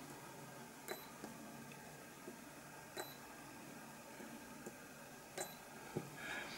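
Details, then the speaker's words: Spot welder joining Li-ion battery cells into a pack; short sharp beeps with faint crack and occasional small spark every couple of seconds, welder firing normally. "it just beeps and hear that sometimes you'll get a little bit of spark"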